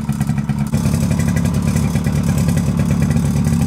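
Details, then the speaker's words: Suzuki LT50 two-stroke quad started after sitting 5 years, running on choke; uneven metallic clatter over a fast, rough idle comes from the clutch springs. Slightly smoky, probably from the added two-stroke oil. "That rattling you can hear is the clutch, the springs on the clutch."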